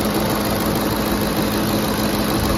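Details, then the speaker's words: 2010 Ford F-150 5.4L 3-valve V8 after VCT solenoid replacement; started high RPM then settled to a smooth idle, no vibrations, misses or knocks, no leaks. "No leaks so far. Started on choke, ran high RPMs, leveled down to idle. Smooth. No vibrations."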